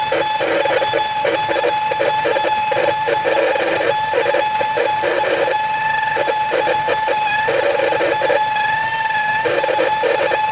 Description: This is my 2004 Mazda 6 It has begun making this whining noise and rough idle. Any ideas what could be causing this